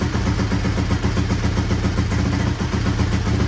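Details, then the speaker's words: 1983 Honda XR200R single after full engine rebuild, just started cold on half choke: even low thumping idle, no ticking or cam chain slap; normal idle. "Engine sounds quiet. Half choke. quiet, no cam chain slap."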